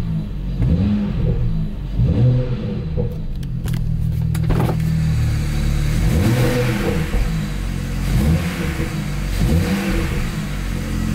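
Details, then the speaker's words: BMW N54 petrol engine after home carbon cleaning of the valves: throttle blips with revs climbing and dropping cleanly, quicker response and less vibration than before. "ale widzę, że szybciej zagadał. No i trochę mniej wibruje. O, teraz panie to gada."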